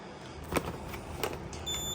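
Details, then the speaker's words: RV propane leak detector with its LED showing red/green for EOL (end of life). It gives a single short, high-pitched electronic chirp; mute silences it only 3 days. The unit is due for replacement every 60 months (5 years). End-of-life beep. "EOL, end of life. It says pressing mute will silence for 3 days. Replace unit."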